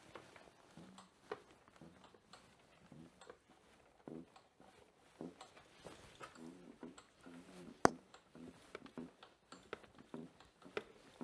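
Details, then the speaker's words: Rear shock (Federbein) creaking quietly with each suspension compression; new top mount didn't fix it; cause was the shock spring rubbing on the airbox. "Da habe ich davor das Problem gehabt, dass das so geknarzt hat ein wenig."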